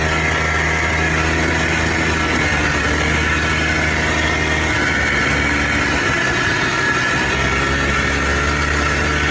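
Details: Polaris Trail Boss 250 4x4 ATV rescued from the scrap yard, previously wouldn't fire on spray; loud, steady two-stroke buzz holding even pitch with no misses or stalling; runs and drives normally.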